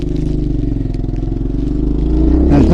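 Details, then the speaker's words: 1980 Yamaha XT250 single on a test ride after carb adjustment back to factory jets with a stock airbox and filter: the thump rises steadily in pitch with throttle, with no stumble or popping in the midrange; the mid-throttle hesitation is gone, normal acceleration. "but the hesitation and the farting and the spitting at mid throttle is gone now"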